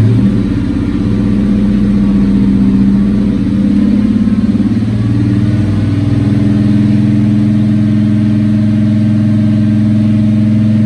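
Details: 1954 Studebaker Champion gasser, new true duals with 3.5-inch stainless tips: deep, even rumble with smooth rev rises and steady idle between, no rattles, leaks or drone; normal exhaust note.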